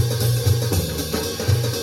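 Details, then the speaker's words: Sony DTC-59ES DAT recorder playing a tape recorded on another deck: music cuts out in brief gaps, four dropouts, caused by drum head azimuth misalignment before adjustment. "Drop, drop, drop, drop. That was four drops."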